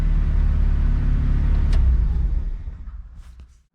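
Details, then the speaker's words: Honda H22A in an EK after wiring harness and TPS fixes that cured a high idle: steady, even low idle rumble with no hanging, then engine switched off and winds down; normal idle, check engine light still to check. "so right now it's idling totally fine so i'll show you guys that"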